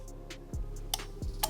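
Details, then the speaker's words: Automotive four-pin relay tested with an electric relay tester: sharp, distinct clicks every few tenths of a second as the relay pulls in and drops out, green light; relay good. "You can hear it's testing. When you hear the clicking sound, it means it's testing."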